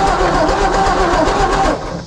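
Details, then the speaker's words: 1954 Ford F250 truck, new battery: short burst of steady cranking that never picks up or coughs; no spark, owner suspects ballast resistor, later points. "You guys gonna see if there's spark for me? No spark. Ain't no spark, man. I wonder if it's the stupid valve resistor."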